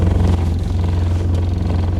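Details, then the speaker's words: 1972 Toyota Celica with overhauled Mikuni 40PHH carburetors (new throttle shafts and butterflies), cold day: steady even idle around 800 rpm, a little low but smooth with no misses or knocks; normal idle, timing may need adjusting. "It's a pretty damn good idle. It's like 800, so it's a little low, but it sounds nice."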